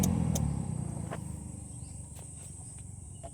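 Blower spins up with a rhythmic scraping tick, about four a second and slowing, as the fan strikes something lodged inside the housing.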